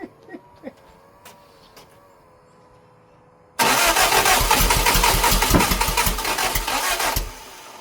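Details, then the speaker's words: Lotus Europa Twin Cam with 123 Ignition distributor and Stromberg carbs, being started: steady starter churning at roughly three or four beats a second with no firing. Ignition timing suspected wrong; distributor possibly 180 degrees off, with valve clearances also found way off. "She doesn't want to go. It's not firing at the right time."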